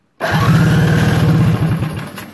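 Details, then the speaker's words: KRC methanol Briggs & Stratton Animal go-kart engine, cranked with no spark plug fitted after priming: even, strong chuff-chuff from the starter, steady beats easing off; pretty good compression now. "it sounds like it's pretty good compression now"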